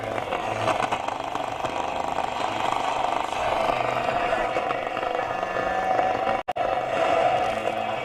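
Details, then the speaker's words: Roberts R707 radio sent from Australia for repair, FM tested after fitting a replacement refurbished module with aerial rigged up: steady hiss with only a faint station struggling through, FM very weak though it worked on the test radio; possibly not connected. "we got no FM hmm FM was working fine on the test radio so why have we not got FM"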